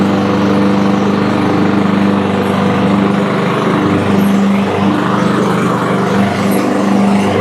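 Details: Toro Super Recycler mower, blade engaged via the blade brake clutch after replacing the belt, bearings and pulley for loud noise: a steady, even engine drone with no squeal, knock or grinding, so the blade drive now runs quietly.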